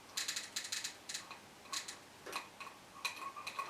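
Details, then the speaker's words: Mesa Boogie Triple Rectifier amplifier, footswitch button held down: quick bursts of sharp clicking, several snaps a second in irregular clusters, as channel relays oscillate rapidly; suspected faulty floor pedal switch; relay chatter. "but if i hold that button down it's like the relays very fast oscillating fast"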